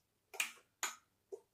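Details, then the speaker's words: Mobility scooter's electronic automatic brake working normally: three crisp clicks about half a second apart in a quiet room, the motor engaging and the brake setting when the control is released. "That's the motor engaging and then the brake working. So it's whenever you're driving it, as soon as you let go of that, it'll click."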